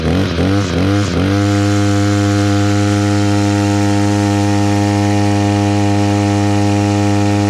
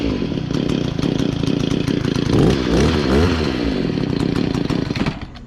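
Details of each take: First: Echo SRM-266 two-stroke string trimmer after carburetor replacement and idle screw adjustment (it had kept bogging and shutting off): a few throttle blips, then a smooth, steady buzzing idle that holds without surging or dying. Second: Echo SRM-266 two-stroke trimmer, after replacing the fuel hoses and breather filter top: it buzzes and surges with the throttle, then sags and stalls at idle because the idle speed is set too low. The idle screw needs turning right to raise it.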